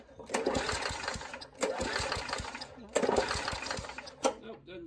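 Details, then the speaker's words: Old Murray push mower, 3.5 hp Tecumseh engine (about 1989–99), after a spark plug swap and shots of gas: four cord pulls, each a short rasping spin that dies, no start; owner suspects the carburetor is shot. "well let's give it a little more gas and see what happens think a carburetor is shot"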